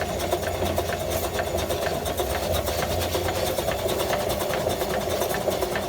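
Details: 1915 Stanley Steamer Mountain Wagon steam engine running steadily with a light, regular tapping knock once per revolution.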